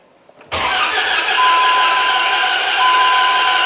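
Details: Replacement 4.7 HO V8 from a Jeep, fitted in a Dodge Ram 1500, cranks evenly at about 175–177 rpm on a new, charged battery but never fires (it earlier ran briefly, then flooded); no-start traced to the camshaft not turning.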